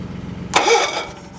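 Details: Wood splitter small engine after replacing a bad switch and reconnecting the battery: brief uneven putter, then a sharp loud catch as it fires and settles into a rough run, blowing the exhaust stack out; this motor likes to be choked.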